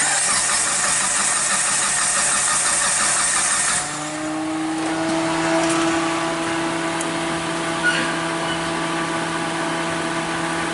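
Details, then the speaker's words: Mitsubishi Lancer, 4G18 engine (2003 or 2006), stalled on the highway, no codes, no spark: steady cranking about three turns a second without catching. Crank and cam signals present but no coil 1 pulse; crank sensor suspected. "as you notice on my yellow Trace basically is on the number one coil and again no pulse at all but I'm getting on my crank on my cam right"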